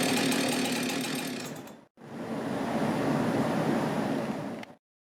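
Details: Husqvarna 372XP X-Torq chainsaw, repaired for a failed PTO-side main bearing. Two full-throttle bursts with a brief cut between, crisp, steady high revs, no knock or rattle: the saw runs healthy.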